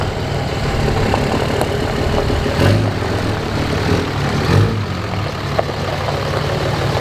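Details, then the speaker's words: Cummins diesel truck with straight pipe, no muffler: deep, raw open rumble at steady idle with a gritty lope; normal straight-piped diesel idle. "I mean, if you have a Cummins, you gotta have a straight pipe on it. Sounds awesome."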